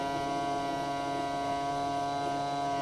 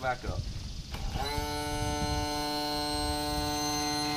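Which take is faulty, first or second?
first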